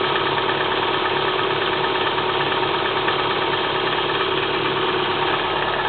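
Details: Kia Spectra 1.6 petrol engine knocking on cold start: a dull, fairly regular knock about twice a second over a steady idle, clearly inside the engine; cause suspected, not confirmed.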